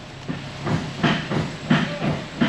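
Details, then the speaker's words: 2000 Chevrolet Silverado 2500 4x4 with loose, sloppy steering: heavy repeated clunks about twice a second as the truck creeps along, from worn pitman arm and loose idler arm; steering linkage clunk. "he said I hear a slight clicking noise something uh in the suspension or the steering I thought it was just a steering shaft issue and turns out we're we're a little bit more severe than that"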